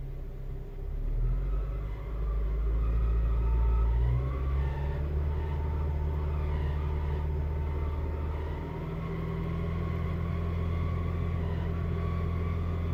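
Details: 2007 Honda Civic Si driving with a low engine drone and a thin whine that rises and falls with speed. The transmission or clutch is suspected; the cause is not confirmed.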